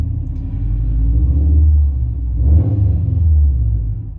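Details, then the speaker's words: Subaru STI with freshly built engine, first start and break-in held at 2000-3000 rpm, fuel pressure set to 43.5 psi: deep, even rumble at raised fast idle, no knocks; runs healthy, white smoke believed to be spilled coolant burning off. "good though there's also a lot of white smoke coming off the engine i'm hoping that's just like coolant or anything that kind of fell onto it"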